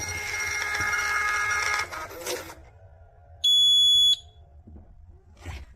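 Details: Beagle Hardware print buzzer plugged into a kitchen receipt printer's cash drawer port: one clean high beep as a receipt prints from the POS, confirming the alarm works.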